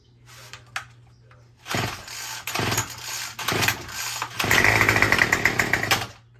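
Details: Murray M2510 two-stroke string trimmer that would not start, choke lever broken off: after priming, a few sharp pull-start bursts, then it catches and holds a steady high buzzing rev; starts and runs fine.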